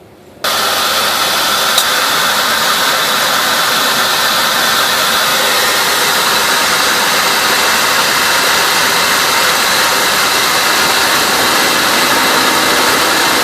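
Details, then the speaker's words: 2001 Buick, engine running after AC compressor clutch pulley bearing replacement without removing compressor; old bearing had grumbled for a year or two: smooth even whoosh, no growl, chirp or squeal; normal. "but listen to that that's nice and quiet"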